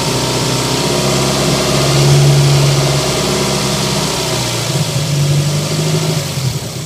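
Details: Toyota MR2 at idle: rough, uneven idle with a lumpy beat about three times a second and irregular pops from the exhaust; engine misfire.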